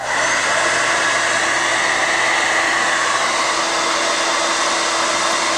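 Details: Standard bladed-rotor hair dryer on high: steady high-pitched airy whine over constant airflow, no wavering or rattles, with a spectrum peak around 4 kHz; normal running.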